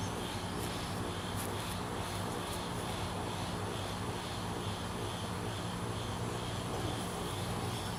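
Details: Johnson 150 outboard on garden hose, just started after setting idle screws on 6 carburetors to 5 1/2 turns (previously stalling): steady low droning idle, no stalling; whether the stalling is cured is unconfirmed; rough idle.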